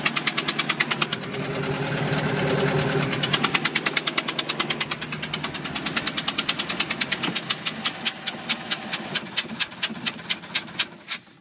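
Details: 2005 Bayliner 175 boat engine running: sharp metallic knocks, two to three a second, over low engine note; knocking of unknown cause.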